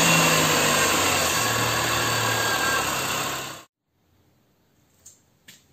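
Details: Air conditioning compressor with a worn clutch bearing, heard at steady engine idle: a harsh, grainy whirring rumble that continues until the engine shuts off. The bearing is being replaced, and the electromagnetic clutch itself is tested and works.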